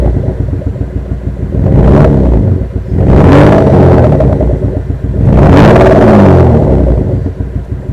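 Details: V6 engine with no power; coils, plug leads and spark plugs already checked OK: three throttle blips with rough, stumbling exhaust and uneven pulses on the way up; misfire, owner wonders about O2 sensor, knock sensor or power transistor.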